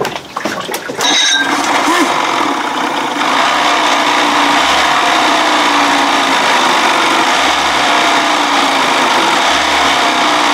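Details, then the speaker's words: Outboard: starts and idles raggedly, the beat stumbling every few seconds as one cylinder cuts in and out; primer bulb feels fine, cause not found. "well now it sounds like saying that's before where it sounds like one cylinder is kicking in off and on"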